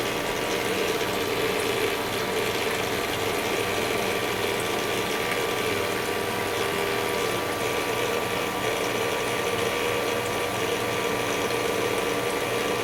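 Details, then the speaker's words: Master Chef countertop ice maker, newly replaced magnetic-drive water pump: steady light rattling whir over sloshing water, no speed change; not whining, but the rattle's cause is undetermined. "new that really doesn't sound all that great but it's not whining so I guess there's that"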